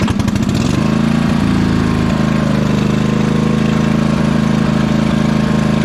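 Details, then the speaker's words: 2005 Husqvarna YTH2448 ride-on mower, Briggs & Stratton 24hp ELS 725cc V-twin, hydrostatic: idles perfectly, but steady fast running with irregular pops at full throttle, sounds over-revving as if full throttle is set too high; not making power. "Well, you can hear it's still popping at full throttle. Almost sounds like it's over revving, like the full throttle is adjusted too high. It's idling perfectly though. All right, so we're not making any power, so that's a big problem."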